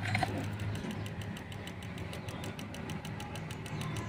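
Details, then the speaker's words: JVC CRT TV, dead: a quick faint tik-tik about four times a second over a low hum from the regulator area, the power supply trying to start against a shorted secondary line, linked to a blown horizontal transistor. "ada bunyi tik tik tik tik di area regulator itu disebabkan karena regulator ini mau bekerja tapi ada jalur yang short di area sekundernya makanya ada bunyi seperti itu"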